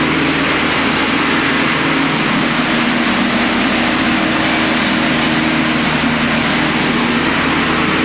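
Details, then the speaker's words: Converted electric Murray riding mower (ME-1004 motor, 44–48V GM/Chevy Volt lithium pack) running at speed setting 36 with deck engaged: steady electric hum, constant whine from the hydrostatic transmission, even airy deck rush; normal running. "that noise you're actually hearing is the transmission or the hydrostatic drive"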